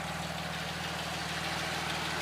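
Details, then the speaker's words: 1977 Porsche 911S Targa during a pre-purchase inspection in Oregon; even, steady idle with a smooth low burble, speed neither too high nor too low, no misses or knocks, revs up without hesitation. Normal idle. "Bah, pas grand chose à signaler, hein. Il est vraiment régulier, au niveau qui semble être le bon, hein. Ni trop haut ni trop bas."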